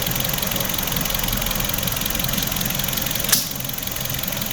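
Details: 2016 Hyundai HB20 sedan, 1.6 engine, 130,000 km, in for service; battery, starter and alternator charge tests all passed, engine freshly washed: steady, even idle with a light regular pulse, no knocks or stumbles, normal healthy idle.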